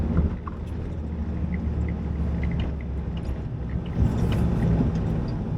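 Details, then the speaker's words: Jeep Wrangler YJ 2.5L after engine replacement, driving in second gear: steady, even drone under load, no knocks or misses, more pull, though still smoking and muffler rattles; normal running. "like this I think it's got more zip too probably does"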